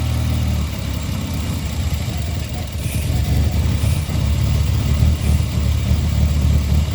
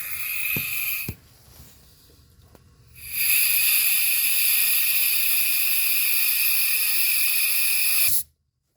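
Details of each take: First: Mitsubishi Eclipse idling while vacuum is applied to the EGR valve: low uneven idle sagging toward stalling, back to normal when vacuum released; rough idle from open EGR valve. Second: Mitsubishi Eclipse, troubleshooting low EGR vacuum: a steady strong hiss as compressed air rushes through the throttle body vacuum port after the clogged hole was cleared. The vacuum source passage is now open.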